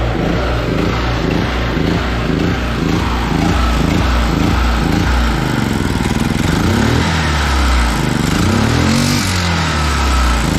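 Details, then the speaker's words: Small 5.7 hp generator, started the morning after a night's running during a blackout: engine note pulses about twice a second, pitch hunting up and down at idle; surging, low idle jet needs cleaning, probably some dirt in it. "okay so what that means is that the um the low idle jet needs cleaning out probably got a little bit of in there"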